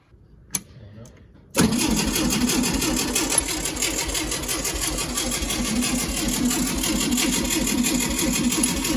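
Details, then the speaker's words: 1965 VW Beetle, garage-stored for a long time, first start attempt after adding fuel: steady starter cranking at about four beats a second that never fires; fuel pump not yet pumping gas. "that's a really good sign it's not pumping any gas yet so we might have to do that a couple more times"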